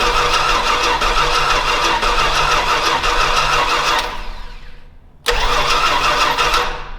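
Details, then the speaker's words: Old Stewart & Stevenson aircraft tug with a vacuum hose hooked up and plenty of fuel getting through: steady rhythmic starter cranking at about three turns a second fades, then resumes; the engine never catches. Cause suspected, not confirmed. "it's wanting it's wanting to go it's wanting to go"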